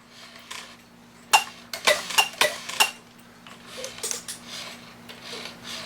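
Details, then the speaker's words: 1969 E. Schmeckenbecher Black Forest cuckoo clock: uneven metallic clatters and scrapes in bursts as the cuckoo train labours, sounding terrible; the movement is binding, fighting against its springs. "sounds terrible oh it's trying to fight through my my Springs on there"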